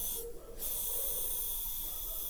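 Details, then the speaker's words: KamAZ truck with a new, unbranded air dryer: a steady airy hiss from the dryer grows with throttle; regulator adjustment changed nothing; the valve is not seating in the lower part and leaks constantly. "больше газу тем больше шипит"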